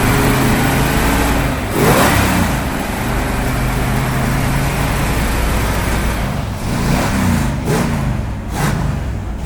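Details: Neglected, rusty classic Dodge Charger, fired up, runs and drives under its own power: lumpy, uneven note, surging unevenly when blipped; tired, rough running engine, no single fault stands out.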